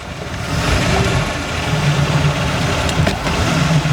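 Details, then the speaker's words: Abandoned $750 boat on its first day on the water after fuel line, remote tank, wiring and belt pulley work, after a 44 run with temp good and clean shifting: steady, even low idle rumble with no misses or knocks, engine settles smoothly. "Idle's nice. Man, for 750 bucks, I think we got a winner."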